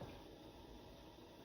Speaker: You should hear a hissing noise as well when you open those valves, which I don't know if you can hear that, but there's a hissing noise. So that pressure is rising slowly.